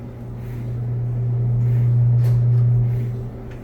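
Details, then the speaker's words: Samsung dryer after tub wheel replacement and reassembly: drum spins up to a steady low hum with no thumping, squealing or scraping, no louder than before; normal operation. "no louder than it was before I think we're good"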